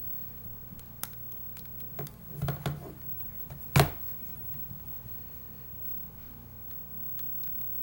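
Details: Nexus 7 tablet, sharp dry clicks and pops as it is handled; the screen seems to pop against the frame on the left side, felt and heard throughout use, a common design fault; cause suspected, not confirmed.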